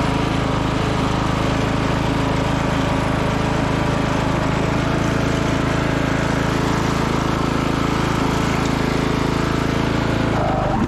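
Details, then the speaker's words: 1996 Craftsman LT1000 lawn tractor single-cylinder engine after replacing cracked muffler with used one and fitting new coil, on jump pack: even steady thump, low throaty exhaust, no misses or knocks; normal running. "okay the new used Muffler is installed the engine cover put back on got a new coil the jump pack on let's see if we'll start up all right that sounds a lot better"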